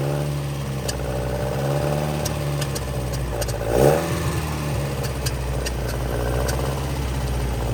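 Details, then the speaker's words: 1966 Volvo Amazon 122 estate, abandoned car brought back to life, running on full choke. A single rev, then sharp scattered pops over the idle; suspected lean backfire, possibly running out of fuel. "I think it's a lean backfire. Might be running out of gas. Sounds like it."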